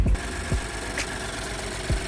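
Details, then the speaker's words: 2013 Ford F-150 3.5 EcoBoost, towed in stalling and started after adding fuel: rough idle with irregular deep thumps through the exhaust and visible shake, a cylinder 3 misfire from near-zero compression. "You can hear the misfire through the exhaust."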